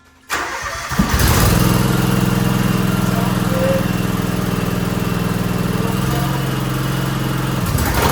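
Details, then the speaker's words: John Deere X Series lawn tractor after repairing mouse-chewed wire that shorted out the mower deck and refitting fender and seat: catches within a second and settles into steady, even running with no misfires, knocks or surging. "So we'll fire it up, make sure there's no issues."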